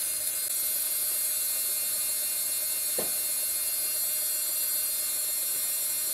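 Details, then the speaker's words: Tarot 450 Pro V2 RC helicopter build, powered cyclic servos while the Fitec FS9357D tail servo is set up: faint, steady, thin high-pitched buzz of servos chattering while holding position. "i'll make a few minor tweaks you can hear those other servos chattering"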